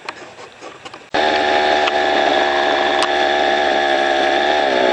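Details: String trimmer fitted with Weed Warrior cutting attachment, clearing brush: snaps up to high steady whine and holds revs evenly while cutting; healthy, normal running under load.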